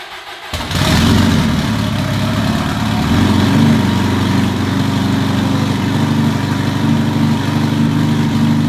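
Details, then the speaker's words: Twin-turbo Subaru STI first start after the build: cranks, catches, chugs unevenly like a lawnmower for a few seconds until all four cylinders fire, then steadier idle; vacuum leaks and an open filler neck are noted; cause of the initial misfire is unconfirmed. "When it first started up, I was like, damn, it's a lawnmower. It literally sounds like a lawnmower. But then once all 4 cylinders actually started firing, that was nuts."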